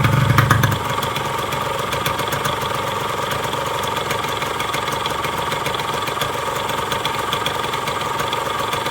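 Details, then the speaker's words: Yamaha RX-King two-stroke after rebuild with new connecting rod, piston, crankshaft bearings and clutch to cure a knocking, vibrating engine: quick, even idle with regular beat, no knock or rattle; normal idle after repair. "nge-rap suaranya seperti itu halus banget tes kopling baru sel semua baru semua"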